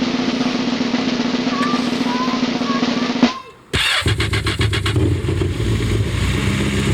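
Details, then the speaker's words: 4-year-old Yamaha jet boat engine, first start after sitting all winter, during spring maintenance with water hose on: fires instantly after short pause, settles into steady low burble, no hesitation or stumbling; healthy cold start and idle. "Wow, started right up. No problem, no hesitation, no nothing. Purring along, and we have our water now on."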